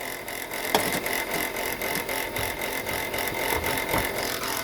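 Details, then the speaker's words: Chrysler Pacifica idling: a faint, uneven ticking rattle over a steady high whir from the engine area. The alternator bearing looks shot; the pulley is bouncing and there is brown residue around it. "all right guys from the looks of this and the sound of this look like the alternate Baron is shot"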